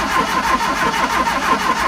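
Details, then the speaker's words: 1971 Fiat 850 Sport Coupe cranking at about six beats a second but never catching, after fitting a new coil, points, rotor arm and condenser; no spark because the new points weren't making contact. Cleaning the original points fixed it. "Still sounds like we're not getting a spark. This is infuriating."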